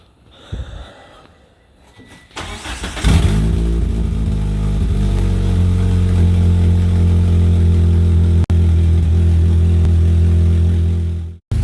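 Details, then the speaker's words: 1998 Mitsubishi Eclipse GS Spyder 2.4 first start after cat-back exhaust install: deep idle, rear sounds good, but raspy puffing from a suspected exhaust leak at the front. "all right so I got it start it up with a new exhaust um sounds really good at the back end uh it still sounds like it has an exhaust leak at the front"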